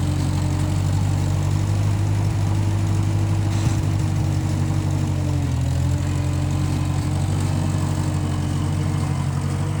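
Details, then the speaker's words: 1955 Massey Ferguson MF65 tractor, run after sitting a couple of years, carb cleaned; owner thinks the Marvel Schebler carburetor needs slight dialing in. Low, steady idle, even beat, constant pitch dipping only slightly once: normal running. "Yeah, everything seems to be going pretty good on it. I ran this a couple years ago and then let it set and so you have to clean the carb out every time it sits for a while, but seems to be working pretty good."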